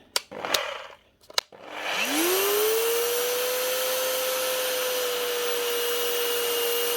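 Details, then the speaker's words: Galeski Polifox wet polisher after new bearings fitted; motor winds up to steady high whine with faint rough rustle, armature still sparking, possibly from new non-matching brushes bedding in; slight gear roughness. "That is her up and running again with new bearings. But most certainly still not perfect. The armature is still sparking."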